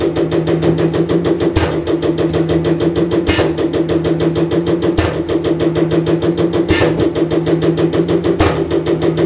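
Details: Common rail injector on a calibration test bench running over 500 shots, after turbo failure burnt oil and raised combustion temperature; rapid, even clicking about three per second over steady pump hum, no skipped shots; normal injector operation.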